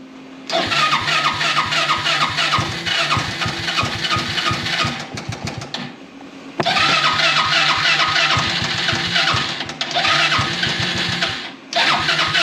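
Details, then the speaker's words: Project buggy engine, cold and unused for two weeks: cranks, fires into rough uneven running, stalls and must be restarted. Always starts very badly cold and improves as it warms; cause not identified. "aber er springt schon mal an ne aber das hier hat er auch letztes Mal immer gemacht ne der ist im kalten Zustand fingt extrem schlecht an wenn er warmer wird dann wird's besser"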